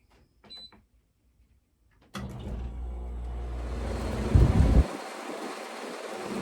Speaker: Y'all hear that vibrating? The window unit sitting there doing like this, sometimes it's way louder than that.